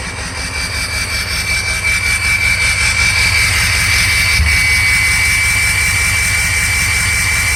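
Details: 2003 Ford Excursion 6.0 diesel at idle: clatter with a loud steady whistle and a periodic stumble, each with a small blue exhaust puff. Injector #5 shows low voltage and poor cylinder contribution; FICM voltage is good. Intermittent misfire suspected.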